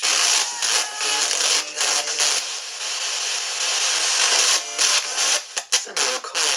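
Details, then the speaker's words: Small spirit box sweeping with its stock speaker: choppy, hissy, high-pitched static in uneven bursts with no low end, harsh and tinny. The speaker is suspected as the cause, with replacing it proposed as the fix. "i find it an extremely staticky no easy box i'm gonna just turn it on for a second uh and show you"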